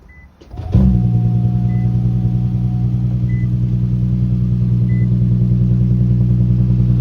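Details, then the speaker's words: Newly bought hybrid, previous owner took good care, fresh initial cold startup: engine catches within a second and settles into smooth, even idle with dash chime pinging; normal healthy start. "So, here's a fresh initial startup. What it sounds like."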